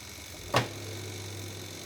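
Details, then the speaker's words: Sanyo manual washing machine spin dryer starting: one soft click, then only a faint steady low hum, no rumbling or thumping; it spins up at once, nearly silent; normal quiet spin start. "Langsung kan, nyaris tidak ada suaranya."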